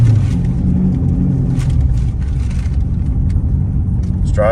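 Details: C7 Corvette V8 after cam replacement following failed cheap eBay lifters, test drive before the dyno; steady deep rumble at even tone while cruising, no ticking or knocking; normal engine cruising.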